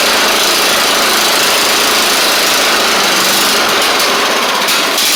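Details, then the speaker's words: Troy Bilt Bronco riding mower, Kohler Courage single-carburetor engine, after reworking bent choke butterfly: loud, buzzy single-cylinder note with uneven, lumpy beat about three pulses a second; better but still not great, choke spring looks broken; rough running. "better still not great but we'll see what maybe we can muster with something here"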